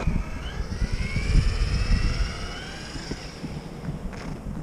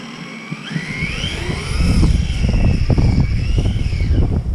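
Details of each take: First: RC car with 15-tooth pinion, final run on snow in extreme cold after loosening the gear mesh: electric motor whine rises and falls smoothly with throttle over snow crunch, no gear chatter or grinding; normal drivetrain, mesh now softer. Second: RC car on snow and ice after swapping to a 15-tooth pinion, mesh set with paper, speed run: high whine rising and falling with motor speed over tyre noise; drivetrain whine, owner feels mesh too tight and should be backed off.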